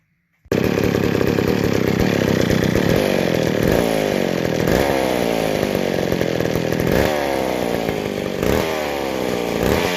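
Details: McCulloch 797 chainsaw after converting from the factory flatback carb to a Stihl 090 carburetor, idle not yet adjusted, first test run outside: loud two-stroke starts and revs in repeated rising and falling bursts, picking up cleanly; running healthy.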